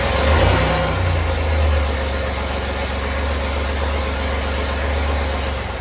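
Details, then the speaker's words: Chevy 4.3L V6 just swapped into a 1964 Willys Jeep CJ5, first start, timing adjusted by ear without a timing light: deep, uneven idle that lopes and wavers rather than settling; rough running. "Well, it worked, it runs. That's pretty exciting. I played with the timing just a little bit there to try to make it run a little better, but my timing light wasn't hooked up."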